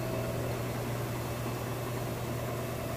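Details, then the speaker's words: Kenmore Elite high-efficiency washer doing a fast spin within the rinse cycle on a heavy load of jeans and towels: a steady, even low drone with no knocking or scraping; a smooth, healthy spin. "it's nice, smooth, sounds great. So anyway, we'll come back for the final spin, which I believe is a little faster even."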